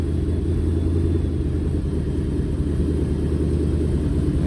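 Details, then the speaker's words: Dodge V8, shifting dialed in, settling down to a nice idle around 750 rpm: deep even rumble with no misses or knocks, just sounds good. "this thing just sounds good."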